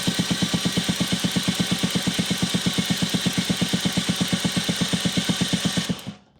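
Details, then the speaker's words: Yamaha Jog scooter spark test, plug grounded on exhaust stud bolt while cranking: sharp, even cracking snaps about three per second, steady and strong. Strong, healthy ignition spark. "That's exactly what we're looking for. Now, on top of the actual visual spark, you should hear that nice sparking, cracking sound."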